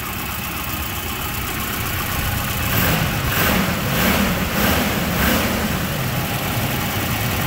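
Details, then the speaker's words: 1992 Volvo 240 daily driver after new fuel pumps, filter, plugs, wires, radiator, water pump and timing set: starts right up, steady even idle with smooth low hum and no knocks or misses, runs healthy. "starts right up idle is fine uh it's a good running car"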